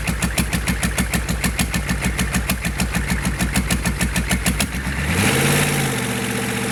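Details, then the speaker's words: GEP/Navistar 6.5 diesel with Stanadyne DB2831-4911 injection pump and new injectors, without exhaust manifolds, warming toward 180°F, good oil pressure: even, steady diesel clatter about three pulses a second, then smooth rev rise; healthy warm idle. "I'll leave the camera there for a couple of minutes and let it idle just so you can see that."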